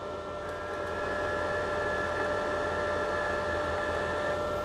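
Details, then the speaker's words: Izumi MIG 130 welder, flux-core wire loaded, torch trigger pressed: wire feed motor running with a steady even hum and constant mid-range whine, no catching or stutter; normal. "Kemudian kita bisa tekan untuk trigger dari mic torch. Dia berjalan."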